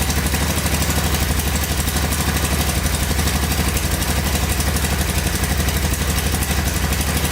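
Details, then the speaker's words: 1985 Honda ATC250SX shaft-driven, electric-start three-wheeler just fired up on fresh gas, idling steadily with a light regular tick about four a second on the exhaust beat and a little smoke; top-end ticking, owner suspects valve adjustment or cam chain. "oh yeah fired right up i hear a little knocking in the top end here though i think"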